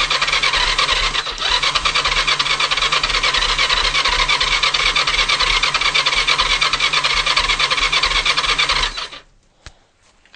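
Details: Kawasaki GPZ500 cranks but won't start: steady rasping starter whir with even cranking pulses, no cylinder catching; already tried new fuel, new plugs, new HT lead and coil, new battery, drained carbs, checked for air leaks.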